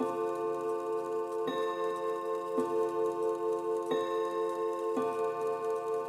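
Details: 1930s chiming mantle clock after its exploded chime mechanism was replaced with a repaired second movement and the hammers adjusted: clear, evenly spaced chime strikes about once a second, ringing cleanly over steady ticking; chime working properly.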